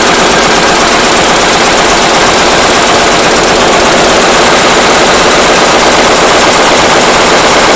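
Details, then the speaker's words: Lister-type single-cylinder diesel, fuel system drained and refilled with fresh fuel, lines clear: loud, uneven chuffing at low speed, rough from start and worse than before; owner suspects injector pump or injector. "used to start smooth and run rough and now it pretty much just runs as you see pretty rough right from the get-go"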